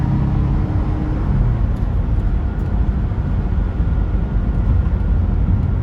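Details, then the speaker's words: Porsche 944 Turbo, after repair: it had broken up under boost because all four fuel injectors leaked, and new injectors were fitted. Driving, a steady even pull with a deep exhaust roar under road and wind noise, no breakup under boost. "All right, guys, she's back together and running perfectly now."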